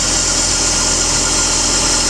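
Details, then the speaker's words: BMW E39 with M52 engine after hydraulic lifter replacement and VANOS/timing reassembly, idling: an even, steady idle with a smooth hiss and no top-end tapping. The lifters are now quiet, though an idler roller whistles slightly with the belt. "так запустил мотор работает тихо гидрики перестали стучать"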